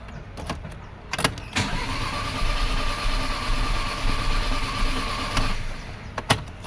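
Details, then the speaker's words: 2011 Audi A8 after an engine overhaul (crank pulley thrown, chain came off, piston-to-valve contact): starter cranks briskly and evenly but never catches despite ignition, injection, cam and crank signals; scope capture shows a massive cam-to-crank timing error. "How is that guys? One capture and we know what's wrong with this engine. This engine is out of time."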